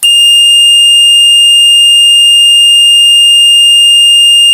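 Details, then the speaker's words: Horn sounding continuously: a shrill, high single tone holds unbroken with no pulsing. It came on solid about two seconds after switching the vehicle on in snowy weather, with no error codes shown; the owner doubts wiring or water as the cause. "that would be my horn if you can call it a horn it was solid it just came on it just came on and stayed on"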